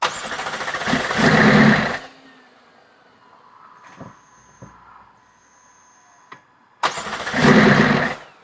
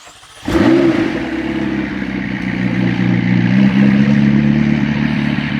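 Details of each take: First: McLaren 650S, possibly blown motor or overfilled oil, previously lugging and misfiring: starter whirs, engine barks briefly then dies, cranks again and fails again; won't stay running, then won't crank until codes cleared; charge pipes off. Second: McLaren 650S, feared blown engine or overfilled oil, restarted after sitting a long time with fresh fuel added: it settles into a steady, even, smooth idle with no hunting or misfire, and the RPM gauge twitches less; running smoother.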